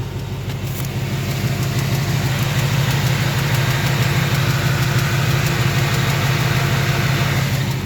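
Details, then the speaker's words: 2018 Ford Mustang GT V8 at idle, 28°F cold day, 45 minutes after an oil change: steady idle with quick even light tick about three per second, louder than before the oil change; oil sample sent for analysis, source unknown. "Well, that's 45 minutes after I changed the oil. The tick is much louder than it was before I changed the oil."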